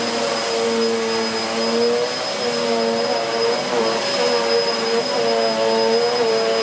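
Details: 2013 Hoover Whirlwind Pet WHS2102 001 2100W bagless upright on carpet, belt refitted: strong, steady high motor whine, even airflow rush and a lively, aggressive brush roll raising the pile. Healthy, normal running.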